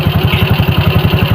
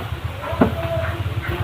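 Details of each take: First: Shogun motorcycle after repair of rough noise that worsened with throttle, traced to a worn crankshaft bearing: engine now idles with an even steady low thump, about twelve beats a second, no knocking. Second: Suzuki Shogun motorcycle: coarse, gravelly roughness inside the engine case that grows harsher as it revs; worn crankshaft bearing, confirmed by crankshaft play after removing the clutch.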